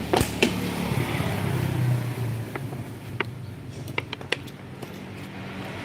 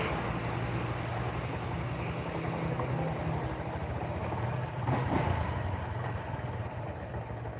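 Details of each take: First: Small motorcycle engine in neutral, revved with fuel, idles roughly with uneven sharp knocks over a ragged rumble: connecting-rod play and knock after a previous shop's rebore installed the piston backwards; connecting rod replacement suggested. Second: Small motorcycle engine idling with a steady, even low putter and no knocking, heard after repairing a piston that had been installed backwards, which had caused rough knocking; the engine now sounds standard.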